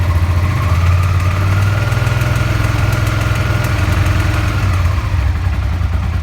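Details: Suzuki SV650 V-twin at idle: faint light tapping riding on the pulses, consistent with worn bearing shells knocking in the bottom end (bearing knock).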